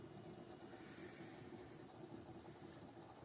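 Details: Desktop PC after the clacking power supply fan was dealt with now runs almost silently; only faint hard-drive working chatter is heard (not yet an SSD), with no fan rattle.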